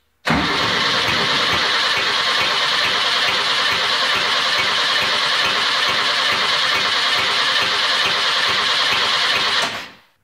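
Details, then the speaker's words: VW bus engine with non-working exhaust rocker, exhaust valve not opening: cranks steadily about four beats a second with sharp pop spitting back into intake manifold every time intake valve opens. "so this engine right now it's got an exhaust rocker that's not working and the exhaust valve is not opening listen to it very closely and you can hear it spitting back into the intake manifold every time the intake valve opens"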